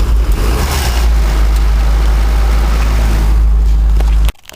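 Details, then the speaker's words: 1985 Mazda ute carburettor engine with new points and condenser, still cold, idles low and uneven, lurching and stumbling before cutting out; points may be out of adjustment, gap to be opened; a semi-blocked carb idle circuit is also suspected. "They might be a little bit out of adjustment. I'll just have a little play around with them. I might open the gap up a little bit. We'll see if we can get it running a little bit better than that. Because it's not too bad, but it's not too crash hot either."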